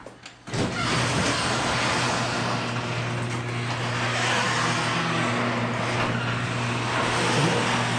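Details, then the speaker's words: Husqvarna two-stroke dirt bike bought on Marketplace, after reassembly with a broken wire still to connect: fires right up, steady buzzing idle with even beat, no misfires or rattles; runs healthy. "thing is it freaking starts and it runs and it doesn't sound bad so that's a what I would call a freaking success"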